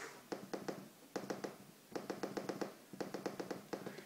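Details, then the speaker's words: Water-damaged MacBook on first inspection, before power-on: crisp, sharp trackpad clicks in quick groups of three to seven, each clean and identical; mechanical click works properly. "Oh, the trackpad clicks."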